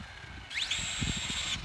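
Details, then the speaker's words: Traxxas Slash 4x4 VXL brushless RC truck at full acceleration: thin high motor whine sweeps up fast then holds flat; loosened slipper clutch slipping quite a bit. "i can tell the slippers slipping i did loosen it like i said i can tell under full acceleration you can hear it slipping still really fast but uh that slipper is definitely slipping uh quite a bit"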